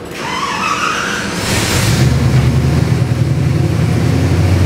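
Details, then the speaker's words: Chevy 383 stroker crate V8 with Holley Sniper EFI and CVF pulleys, 466 hp, first fire on the dyno: catches and holds a strong, even high idle with deep steady rumble, no misfire or tapping, before settling to target idle. "up on high idle and comes down to our target"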